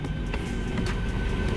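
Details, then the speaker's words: 2007 Mercedes S550 W221 after blower motor and resistor replacement, retest with heat on: steady low rush of air with a faint constant fan hum, no squeal or ticking, and the speed drops when turned down; the blower is healthy. "i already feel it so it should be coming on yeah i can hear it and let's turn it down and you hear it go down so that means everything is working like it's supposed to be working"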